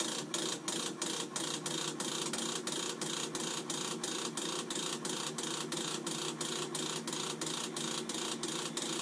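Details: Navien NCB-240 combi boiler makes a loud, fast metallic rattle (about three clicks a second) over a bright hiss at startup; the wrench service indicator is blinking.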